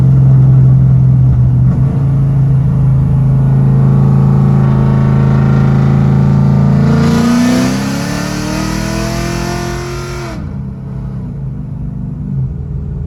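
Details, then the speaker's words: Silverback GT500 with fresh engine and cams, warm after a drive: deep lumpy V8 idle chops steadily, swells cleanly on a throttle blip and drops back; healthy cammed idle, hot-start issue did not occur. "i'm gonna get out go ahead and let y'all hear the cams going chopping away uh car sounds phenomenal i love the way this car sounds"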